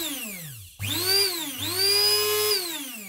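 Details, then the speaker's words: Vintage Braun coffee grinder motor after repair of a seized bearing: high whine climbs quickly and holds a clean, even pitch with no scraping; the motor spins freely and sounds healthy. "very high revving little motor okay that sounds like a new one"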